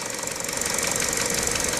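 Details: Peugeot/Citroën EP6 petrol engine running: rapid, hard metallic tapping over a bright, busy mechanical clatter, a new noise heard most clearly on the right side of the engine; the cause is unknown.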